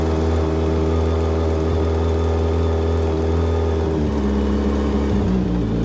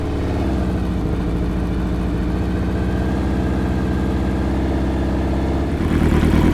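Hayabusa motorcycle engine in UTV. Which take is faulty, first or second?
second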